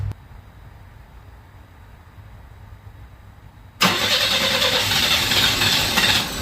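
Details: 1961 Chevy Bel Air with a new starter, auxiliary fuel pump removed and mechanical pump working, carburetor not yet adjusted: after a quiet spell it catches and runs loud and ragged; owner thinks the carb is getting too much air.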